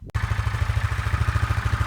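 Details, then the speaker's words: Kawasaki Bayou 400 ATV driven in two-wheel drive after the loose front drive shaft was dealt with: even, steady low thumping with no knocks or clunks, now silent with no noises whatsoever. "She is fucking silent now without that loose ass front ass drive shaft. No noises whatsoever."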